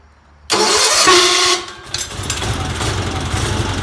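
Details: 1977 Sears 16/6 tractor with an Onan twin, after new plug wires, original GT18 points and coil, and carburetor rehab: short crank, then catches quickly and settles into a steady, even low idle with no misses or knocks; normal running.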